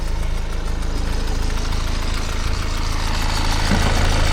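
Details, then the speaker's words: BMW 630i bought for scrap with a gearbox issue, later smoking, oil dripping underneath, idling after start on charge: rapid, regular puffing tick over the low rumble, about three per second; injector chuffing. "We'll have to listen to Dean's chuffing injector. Let it take over."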